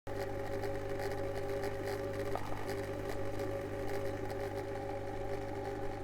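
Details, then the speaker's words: Eheim Classic 600 external canister filter: steady motor hum with a buzzy, chattering rattle from the impeller and shaft running dry, impeller rattle from lack of lubrication. "so if your canister filter is making rattling sound there might be several reasons why this is happening and in this video we'll try to figure out what's wrong with my canister filter and how we can fix that"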